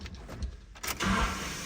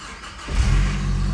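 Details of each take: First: Nissan D21 Hardbody, KA24E 5-speed, another replacement starter just installed: key-on clunk then high whir winding down while engine stays still; starter spins without engaging flywheel, bad starter. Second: Nissan D21 Hardbody KA24E 5-speed manual after replacing a dead starter with a second used starter: engine catches and settles into a steady low idle; normal start.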